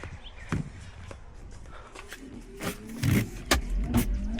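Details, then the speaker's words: 1993 Mazda RX-7 with replacement 2003 Mazda Protege wiper motor, running on high speed: quick, regular motor whirr, wipers sweeping about twice a second, no grinding or stalling, much faster than stock; normal operation. "It's high speed there. Yeah, much faster than the stock motor. Yep, happy with it."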